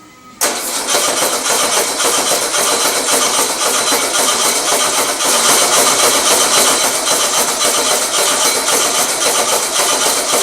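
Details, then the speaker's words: Old engine with electric choke, after generator swap: starter churns evenly for ten seconds, never catches. Fuel petcock had been shut instead of opened, float bowl empty; cranks but won't start, no fuel. "what are the odds that i shut my oh i shut my petcock instead of opened it what a stupid ass"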